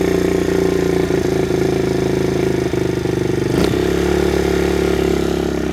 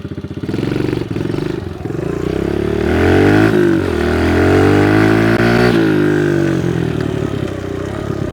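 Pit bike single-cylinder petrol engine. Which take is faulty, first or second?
first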